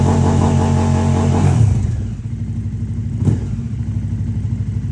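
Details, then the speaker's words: KTM RC8R with 2020+ Super Duke 1290 engine swap: V-twin held at a hard rev ceiling around 6000 rpm, burbling like a two-step, then lumpy idle; limp-mode limiter linked to the Super Duke's three-O2-sensor setup. "So on this bike, I had like a sick burnout planned, but unfortunately, as you can hear in that video, it sounds like a twostep where it's hitting 6,000 RPM and it's not revving past it. It's like bub."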